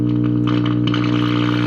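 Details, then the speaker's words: 1951 General Electric model 404 valve radio on first power-up, with the audio output tube and rectifier working and volume responding. A steady low buzzing hum with even overtones from the speaker mixes with tuning; dried-out filter capacitors in the supply. "it's trying to receive a station but of course you know the hum is so loud you can hear it kind of just mixing and making all sorts of interesting noises"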